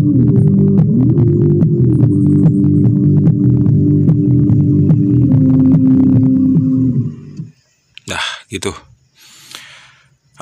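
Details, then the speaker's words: Homemade active speaker after repair: music plays cleanly with full bass and hum gone, though top end dull (woofer only, no tweeter/mid); hum caused by intermittent RCA cable to the potentiometer, 18 V transformer used. "sembuh juga speakernya masalahnya ada di kabel Hai rca untuk potensio yang ternyata putus-nyambung atau Lost Contact sekarang suara dengung nya udah hilang jauh berkurang"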